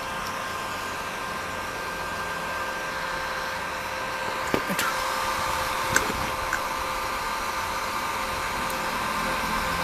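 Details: NLG Daiden MMA 120 inverter welder, being repaired for weak output current and a lit OC light, powered up through a 100 W bulb. Its cooling fan gives an even, steady whir with a constant hum and no knocks or scraping. Normal cooling fan running.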